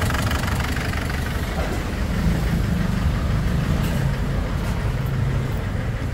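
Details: Ford Everest diesel with a lumpy, uneven idle and irregular stumble, smoking; pulling injector number two changes nothing, so one cylinder is dead. Came from another shop after only a valve cover gasket change; valve leak or broken rocker arm suspected.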